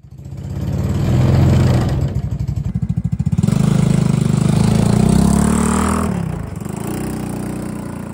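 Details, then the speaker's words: Mini Jeep 125 single-cylinder after fitting a new NIBBI racing carburetor to cure stalling, running without choke, engine not yet fully warm: pulls steadily uphill off-road, revs rising and settling without sputtering; normal running under load. "so here we are going uphill engine still not prly or warmed up um it's it's a little bit Offroad as you can see it's over sticks and stones and um so far so good steep little null coming up here going up lots of power look great"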